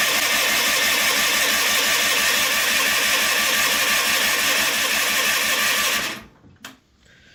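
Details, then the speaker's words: John Deere 316 lawn tractor, cold start after sitting about three months with gas in the tank; the choke is picky. Steady starter churning about three beats a second for six seconds without catching: turns over but won't fire. It later started after gas was poured into the carb. "Wow. She's really being stubborn."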